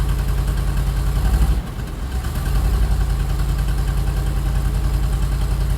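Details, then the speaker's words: 1973 Chevy C60 fuel truck, 366 gas V8, with fouled spark plugs, started at about 10 degrees: catches quickly after a brief crank and settles into a steady, even low rumble; normal cold start and idle. "Alright, so right on, the thing started right up, that's great. Gonna let it warm up a couple minutes here, and then we're gonna go ahead and put some fuel on."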